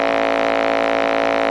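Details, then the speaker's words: Toshiba Satellite 2595CDT laptop with corrosion: a loud constant fixed-pitch drone from the speakers that builds as it sits and ignores the volume wheel; it stops when the left speaker is unplugged. "you should be starting to hear some noise from the speakers and it's going to build up as the computer sits there"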